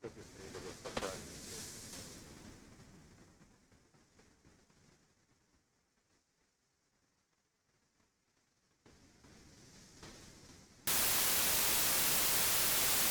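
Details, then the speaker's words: AC-2EX intercom plugged into 9er Systems USB audio interface: sudden loud, constant flat hiss with no rhythm, noise floor goes crazy; cause unknown. "Okay, yeah, noise floor goes crazy."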